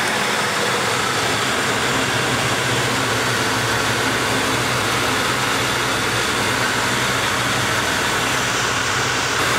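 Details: 1995 Lincoln Town Car after fan belt tensioner replacement: steady, even idle with constant rush and no belt squeal or chirp; engine and belt drive sound healthy.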